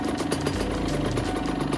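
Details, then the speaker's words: Rebuilt 2002 Honda CR80RB two-stroke with FMF exhaust (fixing oil blow-by), engine hot, about 65°F outside, air screw one turn out: crisp, even burble at a steady warm idle, no misses, little smoke. "And we're only one whole turn out on the air screw. And it's idling pretty good."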